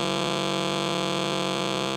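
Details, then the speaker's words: Unplugged switch-mode phone or tablet charger: harsh steady buzzing hash that fades as the charged capacitor runs down, still generating RF noise for a long time after unplugging. "so there you have it that's what the capacitor is doing in there it's even after you unplug it it's generating noise for a long period of time"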